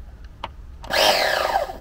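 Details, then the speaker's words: Nova B3 nitro RC engine in an S Works S35-4 buggy, turned by a starter box: short whir sags in pitch within a second as it labours; engine hard to crank, owner thinks it has more compression than his B5. "this B3 engine is quite difficult to turn over it's got actually it's actually harder it's got this has got more compression I think it probably has than um the B5"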